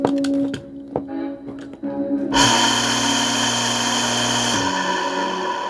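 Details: Water pump that previously only hummed without working, after capacitor replacement (old capacitor blown): a couple of clicks, then motor starts with steady hum and even whir; pump running normally after repair.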